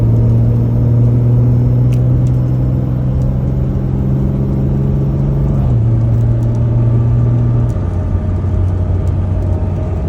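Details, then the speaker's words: Dodge 68RFE transmission with new clutches, Borg Warner double-sided friction underdrive and overdrive packs, new valve body and solenoid pack, stock power trans tune, 3/4 throttle takeoff; low drone climbing under throttle, dropping at a shift; unexplained noise persists. "I'm going to take off 3/4 throttle, stock, power, trans tune. See if anybody can tell what this noise is."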